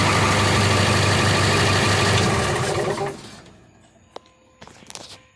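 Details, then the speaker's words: 2002 International bus chassis with T444E diesel, idling loud and rough with a steady rapid puffing tick from exhaust leaks on both sides, then shut off; exhaust leak. "Okay, so as you saw, there's a few exhaust leaks on this side. There's also one over here."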